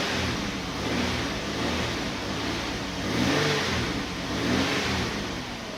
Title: Uplander Misfire